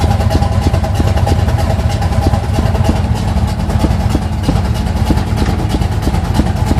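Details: 1980 Sierra C15, junkyard L31 Vortec 350 (130k-mile pistons/rods, 9.5:1), Summit K1107 .488/.510 lift cam, Performer RPM intake, 600 Holley, Flowtech headers, Thrush turbo mufflers; cold start: loud, uneven choppy galloping lope at idle with a few revs from big cam; mic clipping.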